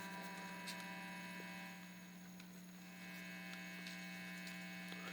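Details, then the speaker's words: Homebuilt bass amplifier project with volume turned all the way up and no signal playing: constant low mains hum with a steady hiss on top. "when you hear silence on gunm smoke the hiss comes way up so I have the volume all the way up"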